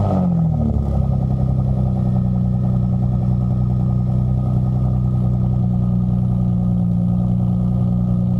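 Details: 2000–2003 Nissan Maxima V6 cold start at fast idle with aftermarket stainless catback exhaust, poorly fitting until hose clamps were added; deep, steady exhaust drone, somewhat louder than stock but not super loud, running smooth and even; normal cold start.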